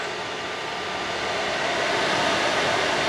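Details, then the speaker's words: New 402 CFM inline exhaust fan for a GPU mining grow tent, test-run at max before ducting; loud even air rush building slightly then steady, no rattle or wobble: healthy. "sure you guys can hear it yeah that's gonna work way better"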